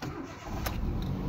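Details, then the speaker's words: 2007 Ford Focus after replacing a broken fuel injector part that caused misfiring and intermittent power loss: brief crank, then catches at once into a smooth, even idle; clean first-try start, misfire gone. "o exato já pegou de primeira bonitinho"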